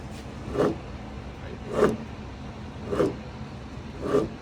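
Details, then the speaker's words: 2018 Jeep Wrangler Sahara rear axle, customer reported grinding/roaring from rear: hand-spun axle gives gritty grinding surge once per turn; pinion, carrier and wheel bearings destroyed, metal throughout, carrier bent; rear differential bearing grinding. "It sounds horrible. That's bad. It's bad. It's real bad."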